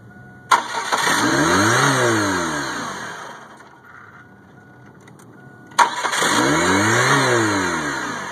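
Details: 1998 Chevy Cavalier that cranks but won't start; it only starts in hot, sunny weather. Two cranking bursts with the starter whirring up and fading, a pause between, and the engine never fires.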